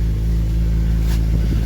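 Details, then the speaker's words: Petrol alloy V6 (Alloytec) at auction, idling just after a cold start: deep steady throb with no startup rattle, sounding good on fire-up, though a slight idler pulley noise is present. "That actually sounded very good on fire up, guys. They normally have a little bit of noise, and that sounded alright."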